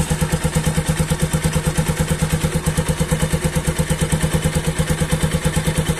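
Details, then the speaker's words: Bajaj NS200 motorcycle after repair of tak-tak noise from left side of engine (cover opened and fixed): even regular idle thump about three beats a second, no tapping; problem solved, normal idle. "Problem is solve guys best idea भनेको यहाँ कान राखेर सुन्नुपर्छ इन्जिनको भित्रै सुनिन्छ क्या"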